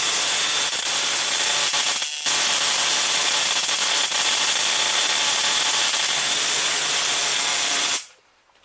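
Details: 555-timer ignition coil driver/tester on a 7 Ah sealed lead-acid battery, gap separated a little, close-up: a steady, sharp hissing spark crackle for eight seconds then stopping; normal coil spark.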